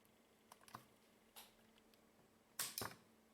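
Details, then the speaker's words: FY6600 signal generator after wireless remote mod: scattered relay clicks over faint mains hum at power-up but front panel stays dark, since the reused UART cable also supplied the panel's 5 V. "The unit powers up, there's no doubt about it, you can hear the relays clicking, but nothing lights up."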